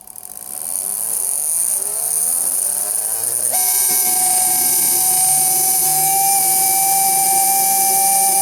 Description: This electric motor sounds terrible because its bearings are worn out.